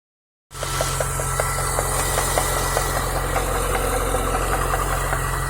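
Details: Chevrolet Niva at a steady idle: a light tapping about four times a second that follows engine speed, traced to a worn water pump with shaft play; check the pump for play with the belt removed.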